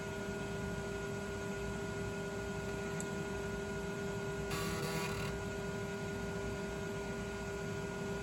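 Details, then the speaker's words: Original MFM hard drive from a 386 machine after a fix for failure symptoms: steady, even motor whine with no clicking, scraping or seeking noises on spin-up; drive runs normally. "Hopefully, it just sounds like a traditional spinning hard drive and go."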